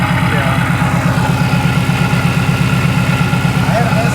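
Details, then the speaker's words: Flood-damaged Saleen #26 at auction: loud steady idle with fast even clattering rattle; speaker suspects the supercharger, wonders if it sucked up water; source not confirmed. "what is that noise is that the supercharger cuz that sounds like the supercharger that doesn't sound normal to me that just rattling"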